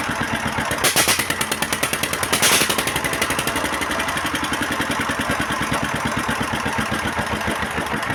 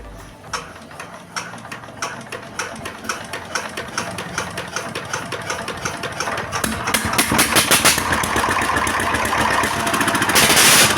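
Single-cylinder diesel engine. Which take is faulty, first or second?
first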